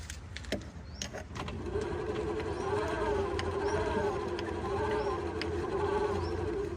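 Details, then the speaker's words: Electric tricycle camper, rear wheel jacked up, phone near the rear gear-hub motor in climbing gear, checking for a grinding noise heard climbing the Qinling mountains: smooth, steady whine with no grinding or clicking; normal hub motor whine. "这不也正常的声音吗？这应该也是正常的声音吧，对吧？"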